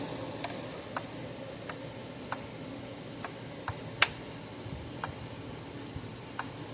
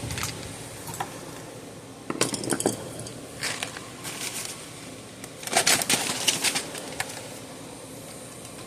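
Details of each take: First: Zareba 3-mile solar fence charger, 0.05 joule output, older unit, around 10,000 volts on the meter: sharp dry clicks about once a second over a quiet background, pulsing normally. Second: Zareba solar fence charger with no output, powered on: irregular snaps and crackles of internal arcing instead of the normal clicking pulse. It measured under 1,000 V peak with no load.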